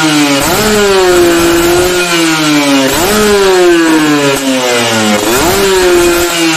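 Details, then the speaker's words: 2-stroke motorcycle with an oversized carburetor main jet: three throttle blips each rise, then sag into a rough, blubbery, snoring drone up top. Rich top-end bogging. "Nah itu contoh main-jet terlalu gede ada motor 2tak jadi atasnya itu bakso ngorok ya"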